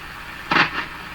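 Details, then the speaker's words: Hammarlund HQ-100A communications receiver, adjusting the Q multiplier selectivity control: steady hiss with a brief crackling scratch as the control turns; scratchy pot, cause either dirt in the control or DC flowing through it. "When a control like this sounds like that, it can either be dirt in the control or there's DC flowing through it. If you have DC flowing through these, sometimes we cannot get rid of the scratchy noise."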